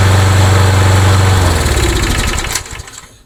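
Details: Craftsman mower with Briggs & Stratton engine, hot and restarted: even, steady beat with no misses, then shut off and winding down smoothly; runs fine, but a starting problem remains and the carburetor is to be opened.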